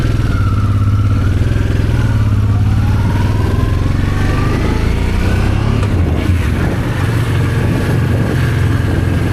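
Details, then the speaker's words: Honda Transalp twin-cylinder after carburetors were rebuilt and reinstalled, throttle cable tension adjusted, first start after sitting: deep steady thrum with even pulses, smooth clean rev rises, no stumbles or clatter; runs normally. "And now it's time to give it a test run. And it runs brilliant as you can see in the"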